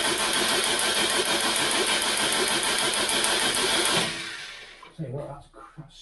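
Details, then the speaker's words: Mk3 Ford Cortina 2.0 Pinto engine cranking after valve stem seal replacement: fast even cranking with sharp crackling snaps about three a second; owner suspects loud spark arcing straight out of the coil. "sparking like hell that's a loud spark whever that was coming from God it must have been jumping straight out of the coil"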